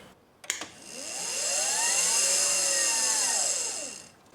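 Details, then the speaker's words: 2018 Permobil F5 wheelchair motor after cleaning brush housings and commutator: spins up to high whine, holds about three seconds, winds down with loud rough brush noise; about the same as before, brushes not yet run in. "Okay. So, still about the same amount. Well, right now at this point, I can't tell if that's louder or not."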